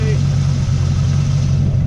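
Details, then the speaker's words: 1964 Chevelle Malibu SS, frame-off restored, freshened 283 cu in V8, cold start after sitting 12–14 hours, exhaust through Cherry Bomb glass packs: deep, even, throaty burble, idling healthy. "Freshened up, nice running engine here."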